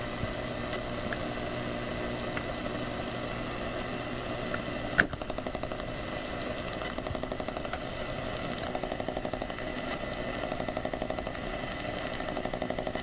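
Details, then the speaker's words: AM radio tuned to 1215 on the AM band picks up a steady buzzing hiss with sharp clicks about every two seconds; the wall-wart power supply of a USB hub is suspected as the interference source, not confirmed. "I think it's actually the wall wart that's causing interference I think it's I don't know what it is wall wart being the power supply for this thing"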